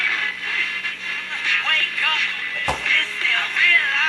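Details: Mid-1960s General Electric transistor radio after resoldering bad connections and bridging a wire: clear music and voices play steadily with no crackle, hum or dropouts. Normal radio playback.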